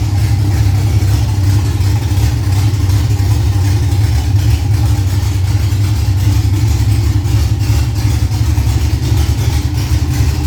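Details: Freshly built Ford Cortina 3L V6 Leisure, first start-up, run briefly with no coolant in: strong, steady low rumble with even beat, no knocks or ticks; smooth normal idle.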